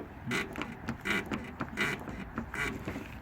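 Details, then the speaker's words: Car rocked hard up and down by an open rear door; dry creak-squeak each stroke, about once a second, also heard over speed bumps, worn rear lower control arm, though upper arm or bushings not ruled out. "차문을 세게 위아래로 흔들어 보시면 됩니다 지금 이렇게 찌그렁 찌그덩 소리가 나죠"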